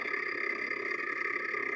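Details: Continental refrigerator: steady rough whirring buzz with a shrill edge as the freezer fan blade scrapes built-up ice; noise appeared suddenly after loading meat.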